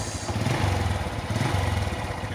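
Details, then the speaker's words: Honda Revo motorcycle after repair of a rough sewing-machine noise from the cam chain area, with oil level checked normal: small single ticking over with a soft even putter and no chatter; idle now smooth and healthy. "suaranya adem jalur dan tidak kayak mesin jahit lagi nah fitur yang kita lakukan perbaikan direvo ini"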